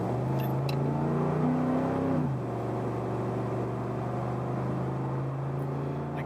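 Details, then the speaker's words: 2012 Ford F-150 5.0L V8 at full throttle: lumpy, uneven drone instead of a smooth roar, with lack of power, check engine light flashing, and misfire codes for cylinders one and six. "we already have misfire codes you can hear the misfire the codes are for both cylinders one and six so we have two cylinders misfiring"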